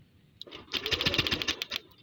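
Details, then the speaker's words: Yamaha Lexi 125 showing error code 61, compression check while cranking on the starter: a brief burst of strong, even cranking about ten beats a second; the loud cranking means compression is healthy. "suaranya keras berarti dia masih aman buat saya lah"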